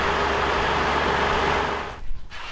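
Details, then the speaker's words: 3.0L four-cylinder turbo diesel starting off a deliberately flattened battery using a borrowed 700A (15,000mAh) portable jump start pack clipped to the battery; catches quickly and settles into an even, steady run with no misses or knocks, a normal start and idle. "there you go guys it works and it works pretty well I was pretty surprised with how easily that was able to start the car"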